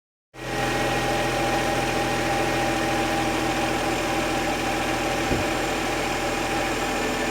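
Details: BMW N54 idling, owner suspects slight air leak: steady idle with a light fast tick over faint whistle; tick louder toward front of engine, front turbo and AC, quieter from cylinder 1 to 6, nothing on block; source unclear.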